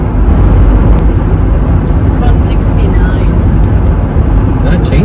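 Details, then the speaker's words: Ford Bronco with the MIC hardtop, after HotHeads headliner and Sound Assassin deadener install, at about 60–67 mph: steady roar with a hiss from the door sides. Still hearing wind, but a huge improvement over the earlier sharp sound. "okay so that's 60 M an hour I can hear the wind still hear the wind coming 67 okay now we're moving up to"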